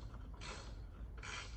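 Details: Club Car DS golf cart front leaf spring before repair, missing its bushing and wobbling loose. Two dry creaks about a second apart as the spring is rocked, with metal working against metal.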